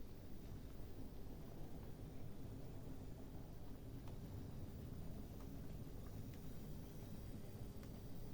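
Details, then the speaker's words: Hornby County Class loco, Ringfield motor, after service (gear mesh loosened with copper washer, wheels straightened), with weighted body shell, never ran well before: soft steady motor whirr with faint rail clicks, no stutter or surging; runs smoothly. "So I'm very, very happy, as you can hear."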